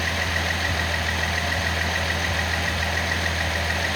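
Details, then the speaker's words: Nissan L28ET turbo inline-six at idle after new manifold gasket fixed the misfire: even, steady idle, no stumbles; power balance test by disabling injectors shows all six cylinders contributing. "But they're all contributing now and it's running very"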